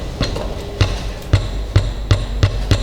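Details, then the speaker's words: Nissan Livina raised on a lift, front corner struck with a rubber mallet: hollow metallic clunks from a loose brake caliper with play, the cause of the suspension noise over bumps. "pensa que a protetor de cárter pensa é a caixa de direção pensa muitas coisas mas esquece de uma delas que é essa daqui a pinça de freio"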